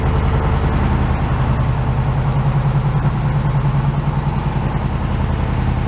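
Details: Carbureted air-cooled flat-four VW bus stored in a shipping container, cold start. A steady, slightly lumpy low idle with an even beat that runs fine. Normal idle.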